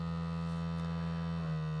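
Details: New LG UP970 4K Blu-ray player on first use, disc spinning: low steady electrical-sounding buzz whose pitch drops as disc speed changes, very loud, seemingly tied to laser movement; disc drive buzzing, cause unclear.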